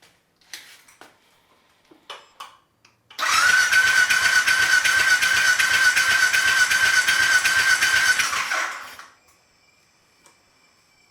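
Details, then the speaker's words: Triumph Bobber fitted with a Speed Twin/Thruxton engine after swap, no spark plugs, coil wire disconnected, no fuel tank, in neutral: about five seconds of fast even starter cranking without firing to build oil pressure; oil light goes out. "we just want to get some oil pressure up for now and then start it up"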